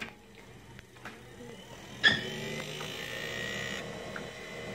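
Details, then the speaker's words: Hard drive of an Epson AX3s portable PC: a sharp bad knock at power-up, then a thin high whine as it spins up. "So we've got a good noise there. We had quite a bad knocking noise when it turned on. Generally speaking, with hard drives, when you've got stuff banging against other stuff, it's not good."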